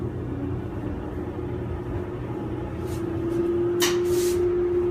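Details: Kenmore (Whirlpool-made) dryer, model 110.77082600, about ten years old, after replacing drive belt and idler pulley to cure screeching: low even rumble settling into steady hum as the drum spins up, no squeal or thumping.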